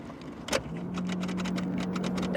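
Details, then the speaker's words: Abandoned three-cylinder Geo Metro LSi convertible, key turned: only a steady hum from the fuel pump priming, with no starter click or cranking. Tank likely empty; owner suspects the starter and considers wiring a switch directly to it. "and that start is making absolutely no attempt to engage at all"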